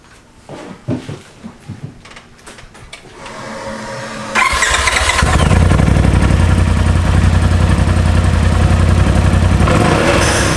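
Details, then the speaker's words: 2021 Polaris RZR turbo after installing a Turbosmart TS-0203-1069 dual-port blow-off valve: engine fires at about four seconds and settles into a steady, even idle with no misfire or rattle; sounds awesome, working normally. "That sounds awesome. I think it works."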